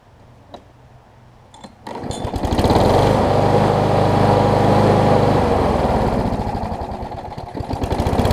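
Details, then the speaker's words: Old Gardenway-made Troy-Bilt self-propelled push mower, few pulls then fires and settles into a smooth, even, steady drone with no stumbling; running much better mainly due to a near-new universal replacement blade. Normal running. "up so so you can hear it's running a lot better now and that's mostly because i have the a much better almost new blade on it"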